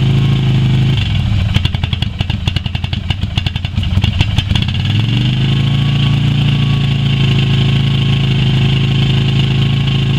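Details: Yamaha Virago XV250 V-twin started after 6 years in storage, old fuel black, carb primed with squirted petrol; uneven idle with irregular popping and ticking for a few seconds, then steadier as stale fuel clears.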